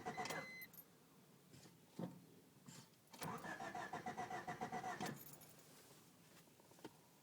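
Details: 1993 Honda Civic Del Sol whose ignition chime is followed by steady cranking that never catches until the check-engine light goes off (5 s to 5 min); code 43 fuel supply; distributor and main relay already replaced; no-start from a failed ECU.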